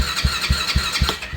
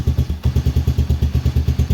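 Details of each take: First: Kayo Predator 125 with GY6 engine: steady starter cranking with even compression pulses about four a second, never fires; no spark, pickup coil output reads low and pickup coil is suspected bad. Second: Kayo Predator 125 GY6-type single after a no-spark fix made by flipping a part under the cover so it sits evenly; thumping evenly about seven or eight beats a second with no misses, clean idle.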